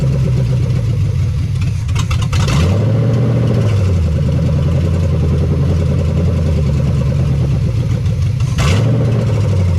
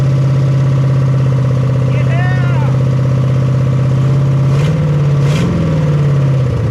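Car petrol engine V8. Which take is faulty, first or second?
second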